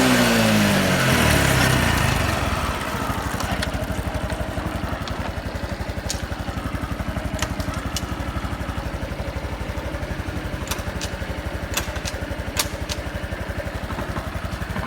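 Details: Honda Super Cub 110 JA07, fuel-injected, fully stock, start-up check: a quick rev up and back down, then a crisp, even putter at about four beats a second with no ticking or knocking; a normal idle after revving.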